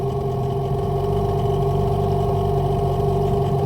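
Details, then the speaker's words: Hangkai 18 outboard test run after a choked start, during its 10-minute idle: a steady, even low drone with a smooth pulse about four times a second and no knocks or misfires. Normal idle. "That sounds good."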